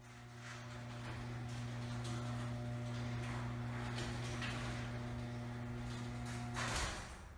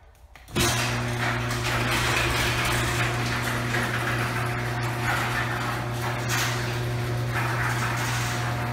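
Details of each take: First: Garage door after replacing old rollers with new quiet rollers: smooth even opener motor hum as the door travels, no squeal or clatter, soft stop; quiet and healthy, the motor now the loudest thing. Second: Garage door opening on the old worn steel rollers, before swapping to quiet rollers: steady opener motor hum under a constant rough metallic rumble and squeak through the whole travel; worn rollers grinding in the track, extremely loud.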